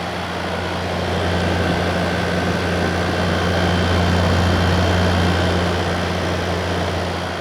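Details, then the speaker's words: 2017 Arctic King 10000 BTU air conditioner, dented but blowing very cold, compressor type unknown: steady low hum with an even fan rush, no knocks or rattles; compressor running normally, dent caused no damage. "It sounds good. Yeah, that dent obviously didn't damage anything."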